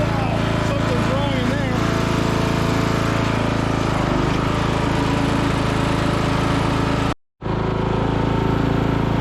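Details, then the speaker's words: 1996 Craftsman LT1000 Turbo Cool lawn tractor with muffler replaced, blade engaged: a steady engine drone with uneven, rough chopping under the deck as badly bent blades strike the ground and scalp the lawn. "drive's great too steering's good no real issues until I Engage The Blade uh and then some terrible things happened I don't know what's going on in there"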